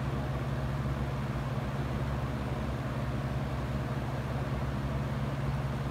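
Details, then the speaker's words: Used Hurricane box fan running on low speed: low steady hum with an uneven buzzing rattle. The fan shakes quite a bit and is very loud; cause not determined. "f is shaking quite a bit yeah it's very loud as you can see just low speed is morning than enough"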